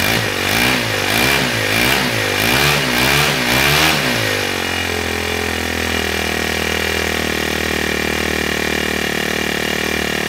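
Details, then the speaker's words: Ryobi S430 30cc four-stroke overhead-cam string trimmer engine, removed and mounted on a wooden stand: a few quick revs, then it settles into a smooth, even high idle with no knocks or misses, a healthy engine. "so now we're go ahead and we'll get this engine start it up so you can see it run"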